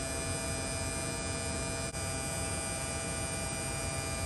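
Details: Replacement AC compressor on a mid-2018 Tesla Model 3 at maximum demand near the end of R134A recharge, cabin already cooling: a steady, even electric hum with a fine high whine, no knocks, rattles or surging; healthy.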